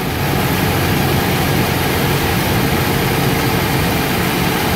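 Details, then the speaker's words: Toyota Hilux flex engine due for teardown, during an oil-pressure test: revs rose on start then settled to an even idle with no tapping; normal for fuel injection, oil pressure 3.5–3.8 bar at idle. "Vocês perceberam como na partida ele subiu a rotação, depois caiu? Então, como eu respondi para aquele outro inscrito, isso é normal em carro de injeção eletrônica, tá, pessoal?"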